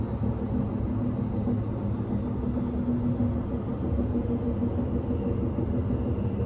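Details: Inside a 1991 S-Bahn Berlin BR485 railcar 485 112-7 at speed on the S8, Schönfließ–Hohen Neuendorf: a heavy low rumble with a rough thump recurring about three times a second, from a severe wheel flat spot.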